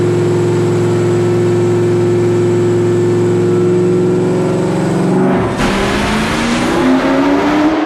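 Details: During engine tuning, a steady high rev breaks up into rough popping bangs and flutter as it climbs again, a misfire with backfire; bystanders reported 3-foot flames; cause not confirmed.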